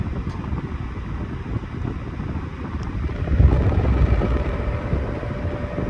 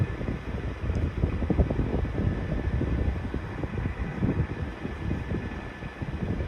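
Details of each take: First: 1991-92 Patton 12-inch high velocity fan, non-capacitor motor, after oiling the front bearing only: steady rushing airflow on high speed with a low, even motor hum and no ticking or grinding; the fan runs normally. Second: 1991-92 Patton 12-inch high velocity fan, counterclockwise blade, from a cold start: a steady thin whine over the airflow rush with an uneven low rustle; the bearings may be dry, before oiling.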